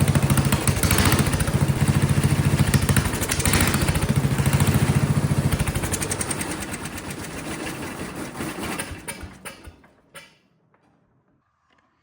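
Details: Vintage Kohler motorhome generator, flathead engine (guessed 400–500 cc), gravity-fed carburetor, after reattaching a loose condenser: uneven sagging thumps around 200 a minute, then engine fades and stalls; seems to want choke; owner suspects condenser and low fuel pressure.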